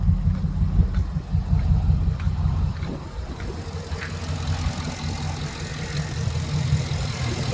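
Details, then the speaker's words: Small petrol engine at idle: low, uneven chug stumbling now and then, shaking though no knocks; usually smooth, now rough from a misfire. "see how shaking it's real rough it's not shaking this engine usually smooth it's real smooth usually but it's running rough no knocks nothing like that nothing out of place in it"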